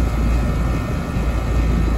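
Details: 4-ton residential central AC condenser after replacing a burnt dual capacitor, started without hard-start kit, 98 A inrush versus 117 A locked rotor, about 15 A running: compressor kicks in cleanly to a steady low hum, no stall or hard start.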